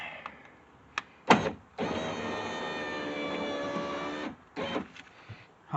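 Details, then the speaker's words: Subaru driver's power window after greasing: steady even motor whir about 2.5 seconds, no squeak or binding; moving better. Broken glass found in door from an earlier improperly installed replacement window. "definitely moving better that's for sure"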